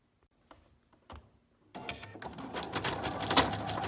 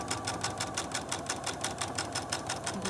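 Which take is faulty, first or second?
first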